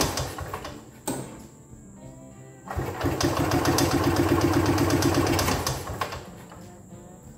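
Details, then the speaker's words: 1983 EZGO two-stroke golf cart, long unused, belt off, cranking on a known-good battery with jumper cables to a good ground: starter spins briskly and evenly through compression; much better than on the old ground strap, where it struggled. "much better when it was connected to this ground strap it it struggled it wouldn't go through there"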